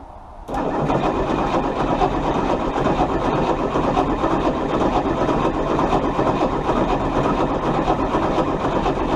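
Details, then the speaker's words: Chrysler 318 engine cranked after carburetor pumping, owner fears fouled plugs from old fuel; steady, even churning for about nine seconds, never firing: crank-no-start. "Okay. Well, we're not getting spark. Got it once, so I don't. Let's see if it gets any spark. Okay. Okay. Nope, no spark."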